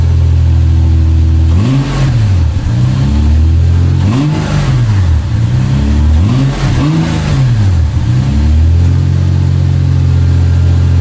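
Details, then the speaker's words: 1996 Lexus SC300 manual, 2JZ-GE, after reconnecting a plug under the manifold and adding about three gallons of fresh gas: starts right up, steady even idle with clean throttle blips that rise and settle smoothly; healthy running. "all right you guys can see how awesome that is it started right up"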